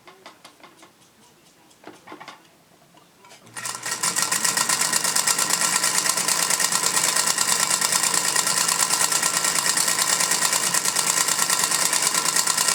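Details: Singer Featherweight sewing machine test stitching after cleaning and oiling fixed earlier squeaks: a steady, sharp clunk on every stitch, about three per second, from the bobbin area; cause unknown.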